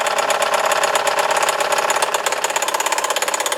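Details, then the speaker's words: Scroll saw running: fast, steady ticking clatter about three strokes a second tracking blade speed, with oil seen spattered around; mechanism sounds dry or loose, cause suspected, not confirmed. "yeah i heard it making that noise again and i see oil all over the place"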